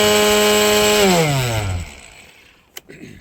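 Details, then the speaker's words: Brand-new Husqvarna 540i XP battery chainsaw, used about two weeks, after nicking a fence line. Buzzy, rough, deeper motor hum coasting down; vibration caused by two broken motor cooling fan blades (part 593782601). Motor screws are intact. "but you can you can just hear and listen to the vibration. It just doesn't sound right."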